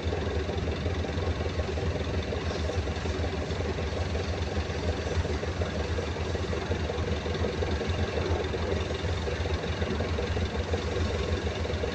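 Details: Perkins 2206 series diesel generator idling with a heavy rumble and an uneven knock. The knocking is being checked from the intake side with an air compression check of the cylinders.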